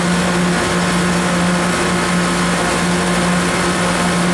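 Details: 2018 Koolant Koolers 10-ton chiller, model SVI-10000-M, pump and compressor running while the set point is lowered to 50°F. A steady hum, constant low tone and even flow rush, with no cycling or rattles. Normal running.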